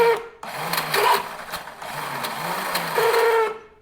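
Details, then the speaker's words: 1971 Honda CL350 Scrambler, starter bumped with the cover off: the starter whirs in a rising and falling whine and the chain spins, but the engine isn't turned; noise probably from the starter bushings, and the starter clutch needs a rebuild. "you see the chains turning right and that noise you're hearing is coming from the starter uh probably the bushings no big deal so you can see the chain spinning um but but she ain't spinning the engine"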